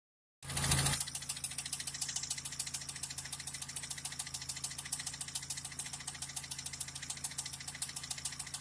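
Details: Daewoo Lanos 1.5 engine at idle with sharp metallic tapping about three or four per second at engine speed, a knock from inside the engine.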